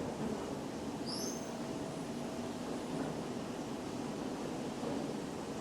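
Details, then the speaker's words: CNC machining center rigid tapping with a four-flute spiral point tap after controller tapping-cycle correction: steady machining hum, brief squeak cutting in, no squeak retracting, so threads are not being pulled; normal tapping. "sounds good you got the little squeak going in normal for cutting but you're not getting that squeak coming out so it should not be pulling on those threads"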